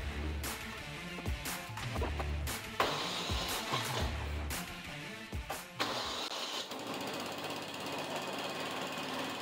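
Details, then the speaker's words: Older 32-inch snowblower small engine after draining gas and cleaning the carburetor: after some clattering it settles into a smooth, even, steady run with no misses or surging; normal running, fuel tank still leaking. "runs great man it's amazing what a clean carburetor will do"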